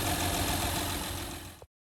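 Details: 2013 Honda Pilot just after thermostat replacement and coolant refill, no leaks: steady, even idle hum for about a second and a half before cutting off, no knocks or misfires; engine idles smoothly.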